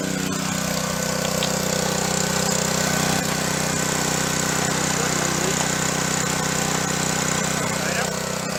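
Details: Junk pressure washer, small engine with replaced pump, tested after repair: holds a steady, even beat under pump load, no knocks or stumbles; normal running.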